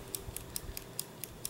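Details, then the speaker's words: Ares G36 airsoft gearbox being checked during reassembly: sharp light clicks about four a second over a faint hiss as the selector plate taps the micro switch cleanly. Normal micro switch actuation. "You can hear it hitting the micro switch."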